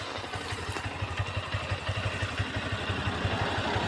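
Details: Honda Hornet 2.0 motorcycle with the chain heavily lubed (it is also noisy when dry): quick, fairly even clatter of about three beats a second appears only at raised rpm; the drive chain is noisy, and the owner calls it a manufacturing trait with no fix.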